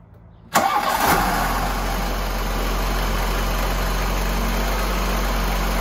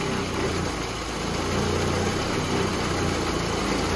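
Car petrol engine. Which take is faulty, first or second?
second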